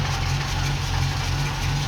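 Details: Ex-NZ Army V8 Land Rover after replacing military ignition with Mallory coil, optical distributor, cap, rotor and ballast resistor: deep, smooth, even V8 burble at idle, no misses or knocks; healthy.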